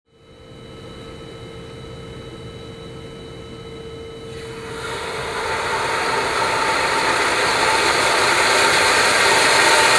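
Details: Control valve flow-lab demonstration with a vacuum pulled at the vena contracta. As inlet pressure rises, a hiss builds into a loud, harsh, gravel-like crackling rush with growing vibration; heavy cavitation.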